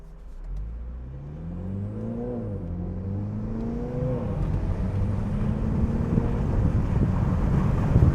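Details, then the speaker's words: 2022 Mini John Cooper Works Convertible at speed with the roof in sunroof mode slightly open: deep, throbbing wind roar swells as speed rises over a light engine note, as air flows over the car and drops in like a vacuum; wind buffeting. "But if you do the sunroof mode and have it even a little bit open, all of the air flows over the car and then drops in, and it's like a vacuum."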